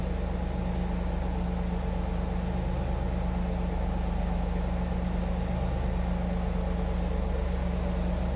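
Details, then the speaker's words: 1997 Chevrolet Camaro Z28 30th Anniversary, automatic, just after a cold start, heard from the rear at the tailpipes. Steady low rumble with even firing pulses, no misses or ticks. Mild exhaust, normal healthy V8 idle. "Slip around at the back so you can hear this run. Nothing crazy over the top as far as exhaust goes."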